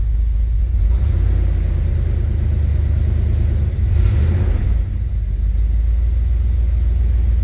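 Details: 1976 Chevy El Camino 350 small-block V8, runs well and doesn't smoke, idling before compression and leak-down tests: steady, deep, even rumble with no knocks or misses; normal healthy idle.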